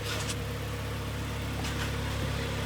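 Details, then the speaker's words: 2011 Kia Sportage G4KD 2.0, manual, front-wheel drive, 150,000 km, after repair of severe piston knock and scored cylinders, with a new clutch, heard from outside: low, even, quiet idle with no knock or tap; smooth. "Так, работает ровно, работает тихо. Вообще красота."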